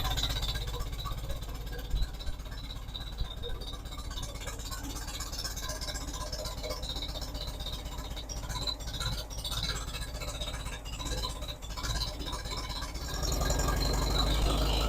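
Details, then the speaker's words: Farmall Super A tractor running just after restoration with a box of new parts; fired right up on the switch. Faint, quiet, steady beat with no knocks or misfires, running evenly, though the governor still needs work. "switch turns like a kitten sounds extremely good"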